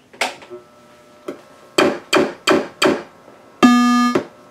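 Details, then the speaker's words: Earthshaker pinball machine at first power-up after auxiliary power driver board rebuild: several sharp mechanical clacks at uneven spacing, then one clear sustained ding; meaning of boot sounds unknown, slight ground-loop hum. "there we have it it appears that it's booted up I don't know what those sounds mean for clacks and then a ding"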